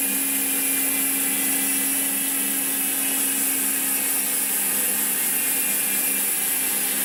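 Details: Koozer XM90 rear hub on Saracen Cross 1 bike, 5 days old, after 200 km of hard trails, recorded on camera mic: fast, light, even ratchet clicking as the wheel spins freely; crisp, healthy freewheel, no grinding.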